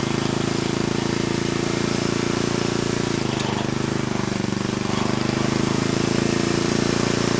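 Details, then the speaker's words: Old Troy-Bilt Horse tiller's flathead engine, revived with valves cleaned, new plug and carb adjusted, runs under load; pitch sags briefly as the seized tines bind and break loose, then settles, with both high and low range engaging. "Okay, well, you might have saw, or at least noticed it jumping around. It freed itself up."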